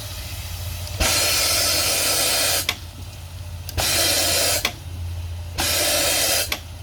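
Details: Marine steam engine with head leaks, first run on steam from a small boiler: sharp hissing bursts repeat every few seconds as steam escapes through the exhaust flange bolt holes, which had two bolts missing; bolts then fitted. Steam leak at flange bolt holes.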